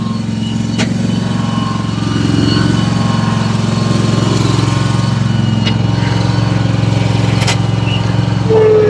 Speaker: See how she's gonna act now. That sounds a lot better. Let's go see if she'll cut.